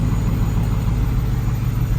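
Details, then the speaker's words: 1971 Ford F100 XLT Ranger Heavy Duty Special with 2017 F150 6R80 transmission, first run after torque converter repair, driveshafts removed, idling in about 35°F: low, smooth, steady rumble, purring and super quiet with no knocks, ticks or whine; normal idle. "But this thing is purring like a kitten. It is super quiet. Sounds great."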